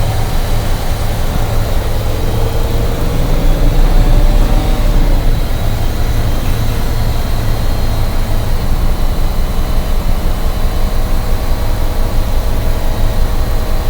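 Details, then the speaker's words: Air-brake truck during inspection, chocked tires: deep, steady diesel idle with even low chug as the compressor builds air toward 120 psi, low-air warning lights and buzzer clearing; normal idle with compressor charging. "now once you get your max air pressure in these lights and that sound will go away they should be going away relatively soon"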